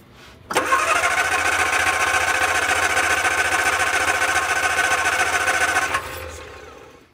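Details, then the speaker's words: Barn-find Austin-Healey Sprite, previously running only off a fuel bottle: starter spins briskly about five seconds without firing. Old fuel pump can't prime itself, so no fuel reaches the carbs; cranks but won't start. "it doesn't look like the fuel pump is able to prime itself so i'm going to hook a vacuum up and suck fuel up through here"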